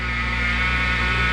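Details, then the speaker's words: BMW X5 engine running: a steady, high-pitched whine holding one pitch; the driver's-side idler pulley bearing is being replaced along with the serpentine belt. "You can hear that whining noise. It's pretty bad."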